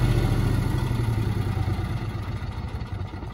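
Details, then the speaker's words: New Generac propane standby generator after transfer switch returns to utility power, powering down about a minute later: low even engine throb, steady then easing off as it winds down; normal run-down and shutdown. "we're back on utility power the generator will power down in just a minute there we go"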